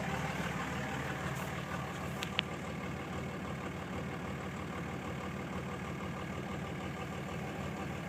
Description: 2006 cummins rough idle when warm